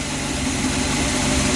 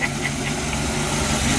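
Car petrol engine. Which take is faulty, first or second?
first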